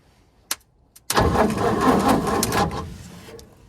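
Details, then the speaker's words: 1942 Ford 200ci first start attempt after 20+ years, fuel poured into the carburetor to bottle-feed it: a couple of sharp pops, then about two seconds of rough firing that fades away; fires but won't keep running. "All right, she wants to run, guys. She is definitely trying."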